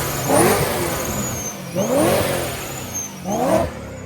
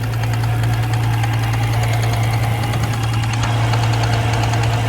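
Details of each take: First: 600 hp supercharged BMW M3 Club Sport after installing the correct factory blow-off valve spring: three crisp rev blips about 1.5 s apart, engine climbing and dropping cleanly with no knock; repair confirmed. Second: BMW M3 supercharged track car on a cross-country road trip in Arizona: deep, heavy knocking three or four times a second under loud steady engine drone; rod knock, engine blown, shut off.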